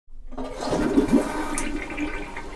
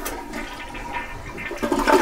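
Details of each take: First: Toilet flush with bubbly gurgling as the bowl underfills; cause is the fill valve refill tube not attached into the flush valve overflow tube inside the tank. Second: Toilet flush after reinserting the fill valve tube into the flush valve: smooth rush of water with no gurgling, bowl refilling higher, louder swirl at the end.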